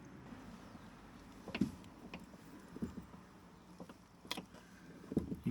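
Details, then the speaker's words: VW T5 sliding door after cleaning the hinge/runner under the plastic cap and working in multi-purpose grease to cure a squeak: only soft clunks and latch click, no squeal; quiet normal door operation after fix. "that there, look at that, no squeaking."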